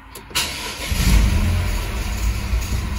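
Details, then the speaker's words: Renault/Dacia TCe 1.0 (H4D) engine heard from inside the car: cranks and starts, then a light metallic ratchet-like rattle over idle from the rear of the engine, also on deceleration; play in the turbo wastegate rod. "Es posible que al soltar el pie del acelerador oigamos en el motor un ruido metálico como de carraca. Vamos a oírlo ahora desde el interior del vehículo."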